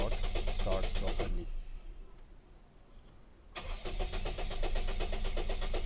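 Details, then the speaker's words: Toyota Duet with suspected bad fuel pump, no fuel reaching the engine: engine turns over steadily, pauses, then cranks again without catching; crank no-start from fuel pump fault. "so the problem is fuel pump"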